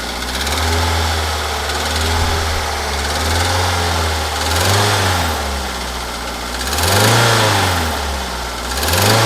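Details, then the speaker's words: Daihatsu Xenia 1300cc, engine run out of oil through unrepaired leaks, refilled with oil: revved up and down with rough knocking under rising and falling pitch; severe internal engine damage from oil starvation. "Oh ya, by the way, ini mobil kehabisan oli. Kemudian olinya sudah saya isi dan suaranya seperti ini."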